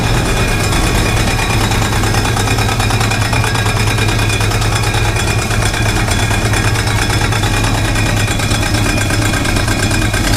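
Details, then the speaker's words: 1968 Chevrolet Impala fastback at idle on the lift, just after an exhaust clamp and makeshift hanger fix: loud steady idle with a fast, rough rhythmic slapping on top; owner suspects the fan, and a shiny rub mark shows the cooling fan striking its shroud. "what is that noise listen to this that's crazy stuff that's got to be the fan that's got to be the fan doing that"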